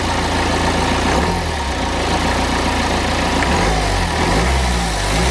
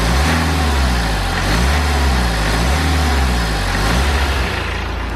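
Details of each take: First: BMW N47 diesel with lost power, before repair: idle and revs rising and falling under a steady airy hiss from a split charge-air pipe, whose bracket failed, with an old temporary repair on it. Boost leak. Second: BMW N47 diesel after replacing the leaking charge air pipe: steady, even idle with a smooth low throb, the boost-leak hiss completely gone.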